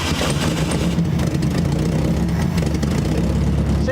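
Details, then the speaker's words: First start in decades of an abandoned barn-find VW Beetle air-cooled flat-four: steady, even low rumble with no knocks or misses, a little smoke; engine runs fine. "actually runs sounds pretty good that's good it a smoking it ain't nothing uh no it's it sounds good"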